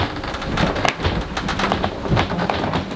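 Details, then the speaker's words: Lagoon 500 catamaran underway after bridge-deck slap; sharp irregular pops and creaks over water rush as hull and bulkheads work under load. "but what i want to point out is that is the creaking sounds man this hull just sounds like oh it's moving a lot"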